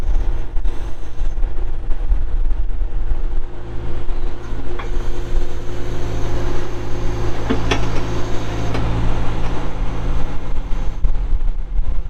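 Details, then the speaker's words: 1997 John Deere 310E backhoe, 4WD, 2,280 hours: diesel cranks and starts, then settles into a deep, steady, even rumble with no knocks or misses; normal running. "cranks up and runs [Music] good"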